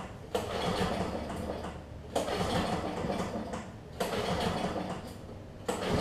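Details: Free Lawn Boy push mower with leaking carburetor (bad needle and seat), cranked hoping it seats: repeated cranking bursts about every two seconds with no catch; turns over but won't start, later fixed with new carb.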